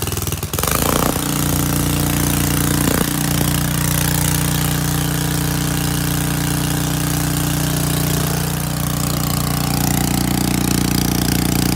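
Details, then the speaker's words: Pressure washer engine on full choke, pump hooked to water: it settles into a steady, even run with a constant low drone and no misses or knocks. This is normal running on choke. "if I have to spend $150 to fix it but it runs good that's good to know"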